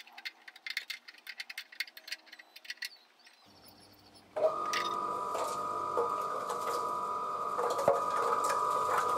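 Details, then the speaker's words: BSA motorcycle petrol tank turning on a mixer during refurbishment: steady drone with dull irregular knocks a few times a second from a large loose cup of fiberglass resin inside, too big to exit the filler hole. "the clunking noise you can hear is a big cup of fiberglass resin that's still inside the tank that's come loose it's too big to come out through the fuel filler hole"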